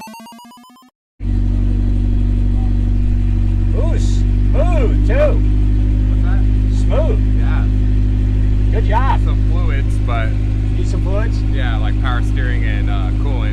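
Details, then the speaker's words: Honda CR-V AWD, non-runner after valve work, first start with catalytic converter stolen: steady, even idle with deep loud exhaust drone, no knocks or misses; runs smoothly, just loud; normal idle. "While it was sitting in my side lot, somebody decided they needed the catalytic converter out of it, so it's gonna be loud, but there will be no doubt if it starts up."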